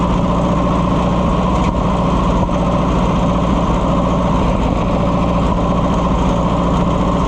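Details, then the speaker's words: Oliver 550 loader tractor, long abandoned, just started: low, uneven idle that stumbles and misses, only running with the choke pulled; rough running on choke, cause not confirmed. "Pull the choke out and it sounds better. We do not have a happy camper here, friends. Missing out. If I pull the choke out, I can get it to run. Kind of."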